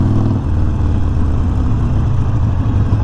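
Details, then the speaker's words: 2019 Harley Sportster Iron 1200 slowing under light rear brake after pads removed, pad backs and casing cleaned of dirt and grime: even V-twin rumble, no squeal. Long-standing rear brake squeak gone. "ah we're good so we got no squealing going on right now close to a stop here a lot of pressure no pressure light pressure so yeah i'm liking this so far we got that squeak gone"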